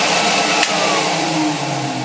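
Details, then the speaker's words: Electrolux XII vacuum first run after switch repair, before strip-down: steady even motor hum, constant pitch, no rattles or surging; motor runs well, smooth and whisper quiet. "so that's amazed what an Electrolux should sound my smooth whisper quiet"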